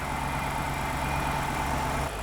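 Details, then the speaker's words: Alpina B7 on a cold start just after A/C compressor replacement. Smooth, even idle with a steady low hum and no scraping or grinding from the new compressor, unlike the noisy old one; it stays quiet as the idle drops. "so far no noise it's very good the old one you could hear it almost immediately but this one is quiet so far"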